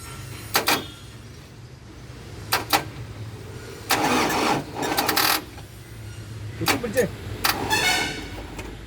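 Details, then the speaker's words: 2004 Eicher 10.70 tipper diesel, parked about 5 years, cold start attempt on 24 volts: short, labored starter bursts never reaching a proper crank; engine badly seized, so it cranks slowly, overloading the starter. "ഈ engine ഏതായാലും നല്ല രീതിയിൽ പിടിച്ചിട്ടുണ്ട്. അതുകൊണ്ടാണ് 24 കൊടുത്തിട്ട് പോലും പ്രോപ്പറായിട്ടൊരു കറക്ക എൻജിന് വരാത്തത്."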